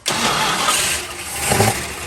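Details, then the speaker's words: 1968 Dodge Monaco 500, rebuilt 440 Magnum V8 after 36 years, radiator filled: short crank, then catches and settles to steady, even run with no knocks or misses; healthy start. "that's awesome that's awesome oh yeah that's what was supposed to happen in the first video"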